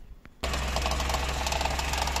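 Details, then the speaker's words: Converted 1980s Mercedes W124 with new EFI, harness and injectors, first cold morning start with exhaust still cold: engine catches at once to a low, slightly shaky cold idle, light fast rattle from the air filter restriction gauge over the hum. "now how does it start so I come in here turn it on that rattling is caused by that gauge that shows you how clogged your air cleaner"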